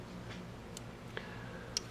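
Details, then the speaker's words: Audi A4 2.0T TFSI with EVAP leak codes: scan-tool output test cycles the purge valve, heard in the engine bay as sharp light ticks about two a second over steady engine hum, showing the valve is working. "so you go back to the engine bay you could hear it ticking it means that it's trying to work"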